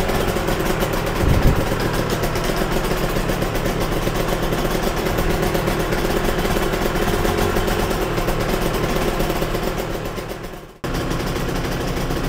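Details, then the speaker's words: Yamaha TZR 250 3XV two-stroke twin after both carbs were set individually, second plug refitted and idle reset near 1500 rpm: fast, even idle with both cylinders firing in a steady crackle; healthy and balanced. "oh that is sweet I'm happy with that"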